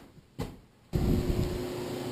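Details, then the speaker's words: Used Modine hydronic unit heater in a garage, refitted and refilled after a leaking freeze-damaged unit; an aquastat powers the fan once the supply pipe is hot. After a click the fan spins up to a steady, even hum with no rattles, blowing hot air with no leaks. "Okay. Modine is on. Blowing hot air. No leaks."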